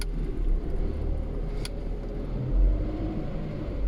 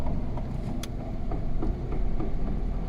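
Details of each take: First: Lada Priora gearbox after repair of broken final-drive gear teeth, on lift, cold engine with new oil, third gear: smooth steady low rumble, earlier knocking gone, gearbox healthy. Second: Lada Priora on a lift, driven in gear at low speed: faint regular knocks about three a second over deep drivetrain rumble, present in all gears, clearer in fourth and fifth; gearbox final drive pair, planetary also noisy.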